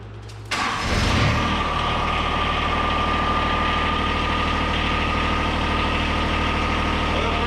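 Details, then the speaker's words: 2013 John Deere 1023E tractor, 154 hours, 21.5 hp Yanmar three-cylinder diesel, started right after an oil change to check for leaks: brief crank, fires and settles into a smooth, steady idle clatter with no knocks or misses. "Okay, we're going to start it up. We're going to let it run for a minute. We're going to check for any leaks, and then we'll check the oil."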